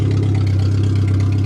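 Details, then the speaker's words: Suzuki Swift, rolled over, running on a makeshift fuel system after a fresh start: smooth, steady low idle with an even beat and no ticks, knocks or stumbles; normal idle. "This thing fired up great this year. Well, if you like Suzuki, this one works perfect."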